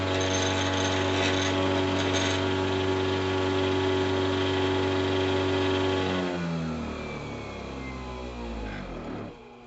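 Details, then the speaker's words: Treadmill motor mounted on antique bench drill press, shimmed with emery cloth and set screws, slightly out of alignment, 6,400 RPM: steady high whir at even pitch, then smooth coast-down; runs fine with only slight wobble, normal. "It's a little out, but that's 6,400 RPM right there. So I don't see a problem."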